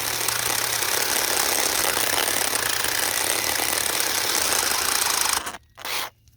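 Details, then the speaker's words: CSwid mini chainsaw (bought July 2023), started smoking at day 32: harsh, hissy motor drone sags and labors and won't spin up fast enough to cut a small branch, then cuts out abruptly; motor bogging and overheating, burning under load. "But it won't spin up fast enough to even go through a little small branch. I mean, it's barely cutting."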